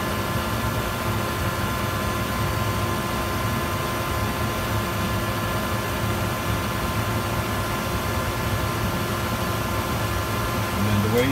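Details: Hayward pool heater after DIY repair of a defective bypass assembly that had caused banging and clanging: steady, even burner roar over a low hum with no bangs or clangs; heater firing cleanly and running normally.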